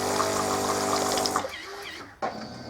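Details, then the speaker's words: Melitta Caffeo CI coffee machine that heated but looped on system start without rinsing: after repair the pump hums evenly and pushes water during heating, then stops cleanly. Normal pump operation. "происходит нагрев воды но сразу потекла вода узи видно то есть при старте системе у нас не посредством заливает это уже уже хорошо"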